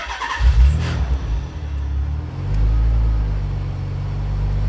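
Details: Nissan 300ZX Z32 twin turbo, during exhaust system upgrade, relay that switches on above 13.5 V: engine catches after short crank, brief rev rise, voltage dips briefly, then steady even low idle with no knocks; normal start and idle.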